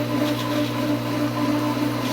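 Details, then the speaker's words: Pool pump at season opening, not yet primed: steady hum with a slight back-and-forth surging swell as water rises slowly; seals and plugs on pump lid and adapters must be good. "I don't know if you can hear it but you can hear the surging or it goes like this"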